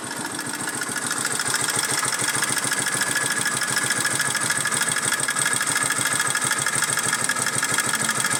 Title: Barulho estranho no motor de moto varetado